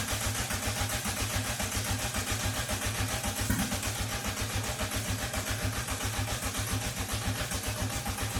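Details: VW MK2 Golf GTI engine, first start after about 10 years and a rebuild with timing belt back on: even pulsing about two a second with a hissy top end; catches and idles steadily, normal idle.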